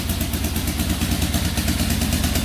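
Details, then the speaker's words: 2004 Yamaha Raptor 660 quad just started after carburetor refit, tank cleaning, fresh fuel, new gas line, exhaust straightened and an added quart of oil: steady even single-cylinder idle, no misses or knocks, idling perfectly while oil circulates. "Idling perfectly. Alright, that's awesome. Let that run for a little bit, get that oil circulating."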